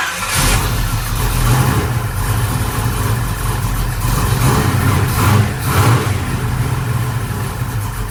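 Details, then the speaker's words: Project car with new engine, lumpy cam and new Flowmaster exhaust: fires and settles into a lumpy, uneven rumble with surging blips, idling rough; suspected too little ignition timing for the cam rather than the carburetor. "if it has a lumpy cam in it like you say it does it probably doesn't have enough timing in it to idle right and the problem may not even be the carburetor"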